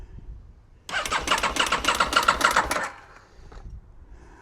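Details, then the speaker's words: 2001 Aprilia RST 1000 Futura, in neutral with little fuel in the tank and the fuel pump heard priming: starter spins the engine in even pulses, three or four a second, but it never fires; cranks but won't start, cause not yet found. "She's turning over. Think we're going to have to look at Does she have a choke? Not successful. She's turning over. That's a good sign."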